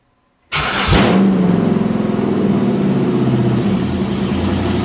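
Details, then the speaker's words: Used 5.3 LS engine in a 1955 Chevy Napco 4x4 clone, first start on a newly built fuel system: fires and settles into a loud, raw, pulsing unmuffled idle on open headers with no exhaust; very loud. "oh lee you have no idea how loud that is people who like open headers man Diana that's loud"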